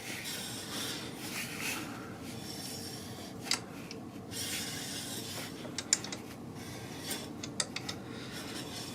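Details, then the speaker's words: BMW R1200 GS Adventure LC wheel turned slowly by hand after the bike was dropped. Uneven dry scraping with a few sharp ticks comes and goes as the disc passes the carrier. The owner suspects a warped rotor and plans to replace it. Brake rotor rubbing. "I hear it rubbing right there. And you can see it moving out away from the carrier. Rubbing."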